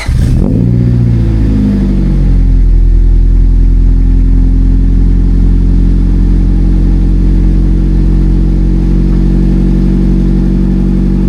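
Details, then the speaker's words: Honda Civic after a street tune (timing and cam gear adjusted), running a 24-inch resonator. Revving up to a steady high drone brings a faint tinny buzz and a metallic rattle from the middle underneath; the source is unknown. "May ingay lang siya pag binira. Yan kaya tayo babalik kasi may kumakalansing sa gitna. Di ko alam kung ano yun."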